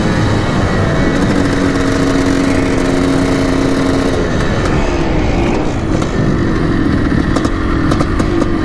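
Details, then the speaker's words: 1987 Yamaha YZ490 two-stroke after carb cleaning and fresh fuel, warmed about 6 minutes, riding test: note stays muffled and flat as throttle opens, pitch barely climbing before finally clearing; bogging under load. "so it's pretty boggy for sure the track we were out in the road"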